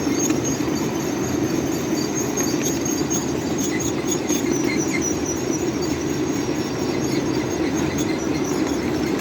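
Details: Coal-fired PRR N2s.a. locomotive descending Sand Hill: steady high brake shriek held throughout over rolling rumble as the train is held back downhill.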